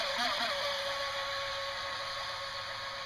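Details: Jet boat motor run on 3S battery; rusty, unoiled bearings from water taken on last run, then oiled: high steady whine with rough gritty edge as motor spins up and holds speed, worn motor bearing noise.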